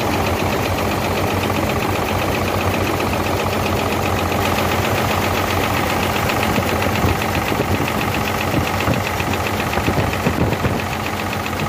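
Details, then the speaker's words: Hino J08C truck diesel that overheated, cylinder cutout test. Rough, uneven clatter stays unchanged when the injector pipes of cylinders 1 and 2 are loosened. Both pistons are not working, so those cylinders are dead. "You can see that both the pipes are delaying and the engine is not making any difference. Can understand that there is a fault in both of these Both these pistons are not working at all"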